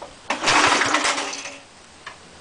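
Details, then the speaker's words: Small air compressor engine after head and valve seat cleanup, muffler off and oil change: primed with a bit of gas, with choke it catches with a ragged burst of pops, then sputters out and dies; owner suspects governor or carburetor problems. "It could be a problem with the governor, because it's just like you can see what it's doing."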